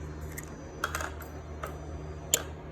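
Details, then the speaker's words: Key-on test of a 5.7 Hemi swap harness: a few sharp clicks in a quiet room as the ASD relay energizes, a final click off, and the throttle body handshake; relay and handshake normal. "and then clicks off. So on mine, it does the handshake with the throttle body."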